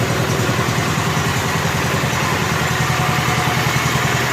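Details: Rebuilt Kohler K241 10 hp single-cylinder from a John Deere 210 garden tractor, after idle mixture screw adjustment, being broken in: even, regular thumping idle, steady beat, no stumbling or misses; normal idle.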